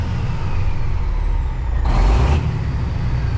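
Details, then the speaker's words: Kenworth cabover diesel after running clean diesel through and warming up, suspected gummed or stuck injector now cleared: steady, even rumble with no misses, short air hiss midway, responds cleanly to throttle; runs smooth, engine brake not yet working. "Smokey is Well, it's not really smoking right now, but it's running. And it sounds like it's running good. Like I hit the throttle and it just does what it's supposed to do."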